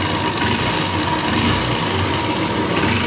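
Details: Honda Invicta CB150 single-cylinder after top-end repair of lubrication-failure damage (rocker arms/upper rocker train replaced, cylinder head not fully rebuilt; engine has some wear): steady, even idle with light valvetrain patter, no heavy knocking or clatter; previously loud with vibration.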